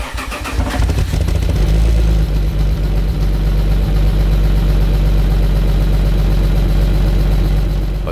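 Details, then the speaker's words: Alfa Romeo 156 GTA 3.2 V6 Busso, revived after ten years unused, with a rusty exhaust line and muffler roughly reassembled: cranks, catches and settles to a loud, hollow idle with an uneven puffing pulse, an exhaust leak. "dus hier is de geluid van de uitlaat met een demper die ruwweg opnieuw in elkaar is gezet,"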